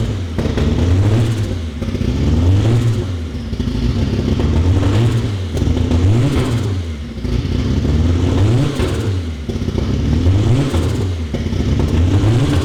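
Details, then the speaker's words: Fully built Honda B18 in a Civic, first start after starter ground fix and Deatschwerks fuel system: repeated clean rev blips with smooth steady idle between; running perfectly. "As you can hear, it's running perfectly."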